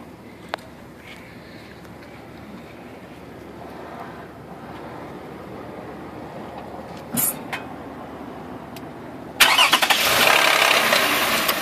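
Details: 2008 Toyota Highlander Limited at start-up: a harsh, gravelly rattle-grind that settles into a rough run, a VVT-i actuator rattle occurring at almost every start and worsening, covered by Toyota service bulletin T-SB-0094-09.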